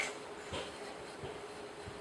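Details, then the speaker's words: Bandsaw running after the blade was folded, fitted and tracked: a very quiet, soft whir with faint light ticks about every two-thirds of a second. The blade is tracking well and not rubbing the guides; normal quiet running. "If you listen, you can hear whether it's touching things, but it's running very quietly, which means it's only. Well, it's tracking quite well."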